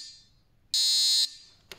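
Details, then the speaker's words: VW T4 van lights-on warning relay no. 36 bench-tested on a 12 V supply gives one clean high buzz, then stops when 86 is connected. The relay is good and is not the source of the fault. "et quand ça fait ça c'est que ton relais numéro 36 il est bon à plus"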